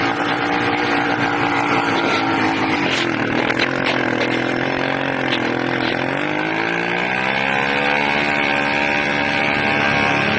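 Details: 80cc two-stroke engine: loud, buzzy running surging unevenly up and down in pitch, never holding steady revs; owner suspects a carburetor/intake manifold leak, unconfirmed.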